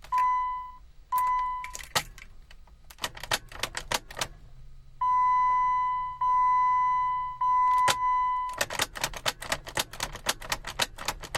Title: Jeep freak out won't start